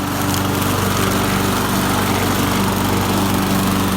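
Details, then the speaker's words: Craftsman 21-inch mower with a Briggs & Stratton 550 series engine, salvaged from the trash, now running with a blade fitted that acts as a flywheel. Still smoky from little running. A steady, high-revving single-cylinder buzz with no misses: normal running. "So now it revs up a lot higher because the blade has a flywheel. It's still smoky because we haven't run it that long."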